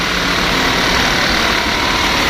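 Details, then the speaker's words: BS6 diesel at 590 km after DEF error/no-start fix, running a scanner-free DPF regeneration with idle held fast: steady, even running at raised speed, no knocks or misses; normal raised idle during regeneration. "और अभी देखिए मेरा गाड़ी narration चालू है accelerator पास fast है और गाड़ी जैसे ही अपडेट होगा एक्टर फास्ट होता रहेगा"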